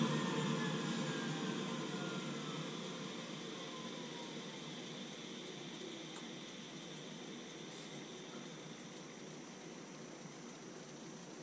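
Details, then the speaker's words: Navien NCB-240 combi boiler with loud vibration noise, fan motor test mode ramping to peak rpm then back to idle; steady rush with tone sliding down, no clear grinding; cause suspected, not confirmed. "now this is going to cause the fan motor to go through its operational range so it's going to it's going to spin up to its highest rpm output and then it's going to come back down to an idle"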